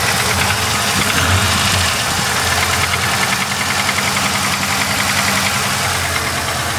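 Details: Supercharged VS engine: uneven knocking through the engine note at idle, roughly three per second; owner asks what it could be, cause not pinned down; engine knocking.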